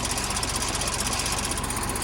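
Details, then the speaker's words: Neglected John Deere, first start from cheap purchase with the fuel system untouched: a steady fast chattering knock in time with the engine, the fan blades striking the radiator because a bracket is missing; a fuel leak is also present. "Although, it definitely sounds like it's got a kick. I don't know if that's internally or externally."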